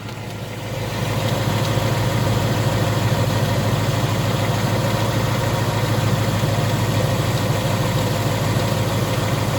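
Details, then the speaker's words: 2018 Ford Mustang, about 1,800 miles, warm idle, listened from underneath: light intermittent tick not audible from the top; owner suspects slight rod knock, not confirmed. "when you're next to a car okay or a wall and you get underneath and listen for an intermittent ticking"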